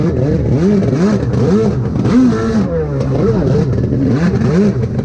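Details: SuperFreak two-stroke watercraft after rebuild, in water, carb tweaked: revs surge and sag unevenly with wandering pitch and ragged note under throttle; running worse than before, faulty carburettor suspected.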